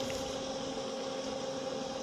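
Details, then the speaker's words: Bestway above-ground pool filter pump after cleaning the clogged filter cartridge. Smooth, even motor hum with no strain; the pump labours much less, the pressure needle is lower and return flow is stronger than before. "on sent que la pompe au niveau bruit force beaucoup moins"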